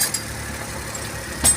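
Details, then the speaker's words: Suzuki Every DB52 petrol engine idling with an uneven, stumbling beat; misfire with DTC P0120, no reaction when cylinder 3 coil unplugged, mechanic blames a faulty ignition coil and swaps coils between cylinders 2 and 3 to confirm. "Walang reaction yung cylinder number 3. Ibig sabihin ignition coil yung sira dito."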